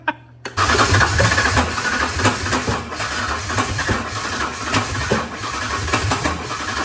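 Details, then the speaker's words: 1993–2006 Ford Ranger with swapped Taurus 3.0 engine: uneven cranking with ragged firing bursts that never settle into running; catches but won't run, fuel delivery suspected despite good fuel pressure; cause unconfirmed. "It's wanting to pretty bad. I just ain't quite figured out why it's not."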